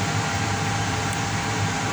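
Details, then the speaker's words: Payne furnace that clicked with orange LED but gave no heat: steady airy whoosh and faint fan hum on startup, no rattles or scraping; normal. "Oh. That's the sound of That's a good sound. Oh, that's a good sound. Okay. That's a good sound."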